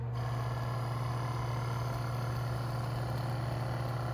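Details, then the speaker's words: 1981-1985 Mercedes diesel cruise control actuator on bench, power applied to motor; low steady hum with coarse uneven churning about three times a second: grinding actuator motor. "I think we'll call this one Grindy."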